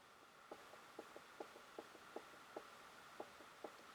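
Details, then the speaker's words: Royal Enfield Electra X, 6000 miles, engine opened for noises, conrod pushed and pulled by hand: light paired metallic clicks from perhaps 2 thou big end bearing play, enough to cause the running noise; piston slap also found. "That is probably no more than perhaps 2 thou play, if that, in the big end. That's enough to make that noise."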